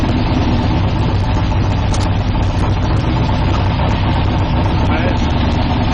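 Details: 1972 Nova drag build, in third gear during transmission test after fluid drain (earlier 2-3 shift locked rear wheels); low steady idle holding firm, no clunks, slips or flare; all gears working, normal idle.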